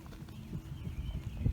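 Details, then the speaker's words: 2008 Infiniti G37 at 179k miles, wheel shaken by hand: dull uneven low thumps with felt play in one front wheel, other side tight; bad front wheel bearing, which hums like rough pavement when driving. "if you grab the wheel with both hands and shake it you hear that noise I can shake this tire with two hands it's easier but you just grab the tire give it a good shake and if you hear this play I Can Feel the play in the tire the other side won't do that at"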